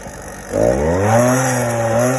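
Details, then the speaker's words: Upgraded 50cc single-piece-jug two-stroke motorized bicycle engine, good for 34 mph, started in cold weather: it catches and idles with a wandering, hunting pitch while settling; the owner suspects it runs a little lean and later moves the needle clip richer. "this little motor is upgraded 34 miles an hour still sounds like it's a little what's your fault though lean see how long it takes to settle"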